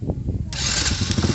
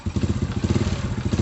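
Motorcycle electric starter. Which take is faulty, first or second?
second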